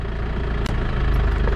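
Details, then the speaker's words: 1984 Land Rover Santana 109 Super diesel, 38 years old, just passed inspection (slight oil loss noted), idling with key removed from ignition: steady even low rumble, regular beat, no knocks or misses; normal diesel idle. "como veis no hay llave en el contacto y el coche sigue funcionando"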